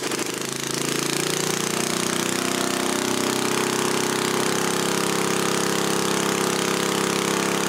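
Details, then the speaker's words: 1977 Briggs & Stratton Model 8 3HP single on a water pump, not smoking; fast, even buzzing bark holding steady speed, governed near 3600 rpm, maybe slightly higher. Normal running; the pump earlier vapor-locked from a rusted muffler hole heating the carburetor. "the engine itself's not smoking um I'm gonna put my attack on it and just the spring get right at 3600 it sounds like it's running just a little bit higher"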